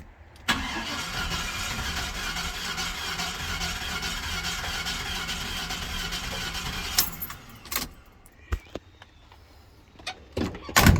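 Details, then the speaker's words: Squarebody Chevrolet C10 with LS swap, failed three days after delivery (bucked, rattled, shut off): cranks steadily six seconds but never catches; owner suspects jumped or broken timing chain. "I think we've got a timing chain issue. I think it has either jump time or a timing chain has broke, one or the other"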